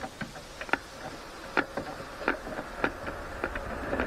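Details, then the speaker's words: Motorcycle twin carburettors during synchronization, throttle cables set to different lengths: each throttle snap gives a split double clack as one slide bottoms before the other; adjusting the cable barrels brings them to a single clack. "can hear there's a slight clack like a double clack which means one is hitting before the other"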